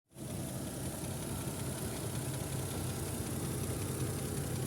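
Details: Toyota 1JZ-GE, warm engine at idle after valve adjustment, compression reported about 12–14 per cylinder: even idle with a dull knock tapping through the low rumble; engine knock, cause not yet pinned down.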